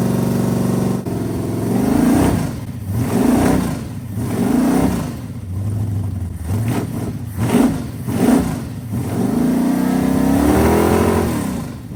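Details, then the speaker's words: 440 V8 mounted in the bed of a 1967 Dodge A100 project, earlier smoking with no oil pressure: blipped through several rev swells that rise and fall cleanly with no stumble; all eight cylinders firing, normal running. "hey it sounds pretty good it does missing huh not missing I don't think so no no no that was eight happy ones"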